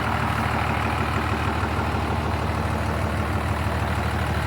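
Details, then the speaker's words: 12-valve Cummins diesel swapped into a 1967 Ford F100: steady even low diesel clatter at idle with no misses or knocks. It idles smoothly and healthy. "Sounds good. It does sound good."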